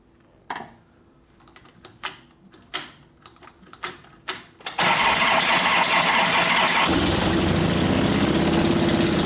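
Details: 1999 80ci Evo V-twin, first start after rewiring, rear jacked up: starter clicks, then catches and runs loud and uneven, needs throttle, won't idle; mixture 2.5 turns out, owner suspects lean, wants bigger low-speed jet, accelerator pump possibly not working.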